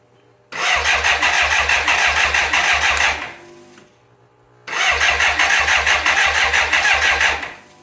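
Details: 1985 BMW K100 motorcycle, fire-damaged and sat 6 years, plugs just refitted: two bursts of steady starter cranking, about three turns a second, with no firing. Cranks but won't start; a relay with something loose inside is suspected, not confirmed.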